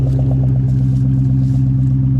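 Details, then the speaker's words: 2003 Ford Mustang Mach 1 four-valve V8, sitting for years and being brought back, exhaust heard at idle: deep, even burble with a regular pulse and no knocks or misses; sounds healthy. "this sounds good dude i don't even know if you should switch it i think it sounds good"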